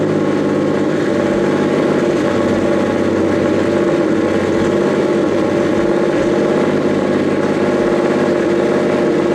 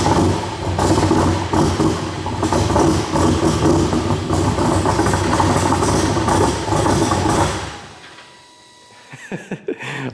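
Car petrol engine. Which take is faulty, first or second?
second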